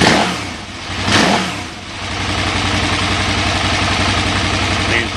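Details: 2008 KTM 990 Adventure V-twin that normally won't idle unless in neutral, with a fuel pressure gauge fitted at four bar. The engine blips twice, then settles into an even, steady idle with no stumbling, running normally.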